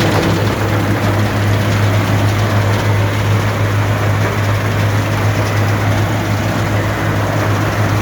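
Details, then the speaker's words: Allis-Chalmers Gleaner EA combine separation unit run for final checks before the threshing unit is refitted: loud, even low drone from drum and shakers, steady rhythm, no knocking or grinding; not much noise, running normally. "so as you can see well as you can hear there's not much noise i've checked it already"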